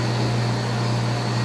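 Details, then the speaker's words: Water pump after repairing a noisy impeller that spun loose on its shaft: smooth, steady low hum with no rattle, grinding or surging. It runs soft and light, as it should. "Escuchen la bomba con un sonido suave y ligero, como debe de ser."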